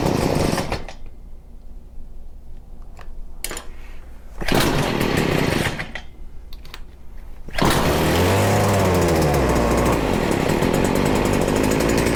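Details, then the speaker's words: Stihl FS40C trimmer during carburetor idle-screw adjustment after running on choke: blips and drops, then holds a high, buzzy run that wavers and surges, rough but nearly right. No smoke. The owner suspects the carburetor needs cleaning. "still is having a hard time we very well might have to clean this carb it's getting better we are so close"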